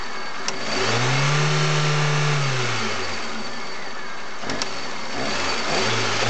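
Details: Chery Amulet engine gives a tapping knock over the rising note on each sharp throttle blip, fading as revs settle; owner also reports excess idle vibration and oil pressure lamp sometimes lighting at warm idle.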